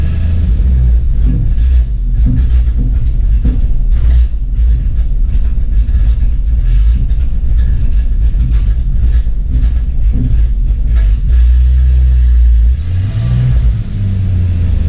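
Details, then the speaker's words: Jeep Cherokee just revived, spark plugs and distributor cap refitted: deep, uneven rumble that stumbles and barely picks up revs with throttle; bogs under load, owner suspects timing is off. "she sounds like she's off like like the it sounds like the timing's off anytime i try to put it under a load"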